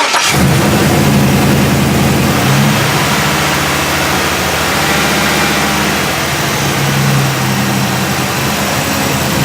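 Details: 5.3 engine after throttle body replacement: cranks, catches quickly and settles into an even, steady run with a couple of smooth blips; starts and runs normally, owner expects some relearn time.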